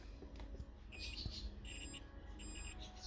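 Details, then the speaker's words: Multimeter set to continuity beep mode while locating the hazard-light wires for a universal central-locking install on a Golf 4/Bora: steady high-pitched beep that continues while the probes touch; tester working normally. "T'entends le bip? Si je laisse, ça continue. Donc tu prépares ton multimètre en bip sonore."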